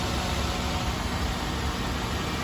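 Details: 2004 Toyota Corolla Altis 1.6 E VVT-i petrol, never run on gas, starts first try: smooth steady low idle hum with even beat, no knocks or ticks, no smoke; engine idling healthily.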